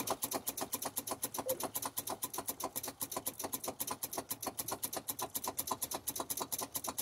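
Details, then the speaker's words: Volvo VNL truck with Cummins ISX that won't start, battery voltage present: rapid even clicking about four a second by the footwell, engine never turns over even after striking the starter; starter suspected failing. "I can hear that starter solenoid down there bumping by my foot"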